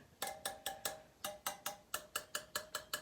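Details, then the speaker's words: Yamaha TTR125 rear wheel, spokes tapped with a small wrench: most ring clear while one gives a dull dead note, a loose spoke. "that one there? It just sounds dead."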